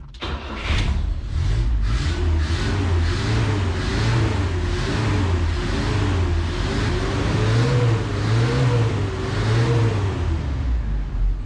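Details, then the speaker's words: Carbureted V8 truck after a carb swap, 50 psi oil pressure, idling while brake cleaner is sprayed: idle wavers and hunts at the carburetor base, whose bolts were loose; vacuum leak. "maybe y'all could hear it changing idle as I spray in that brake cleaner she's got a vacuum leak for sure"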